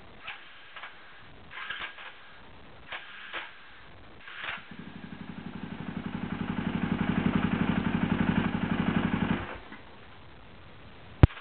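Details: KTM SXC electric start: a few clicks, then about five seconds of labored, uneven cranking that builds and dies without firing. Bad, slipping starter clutch.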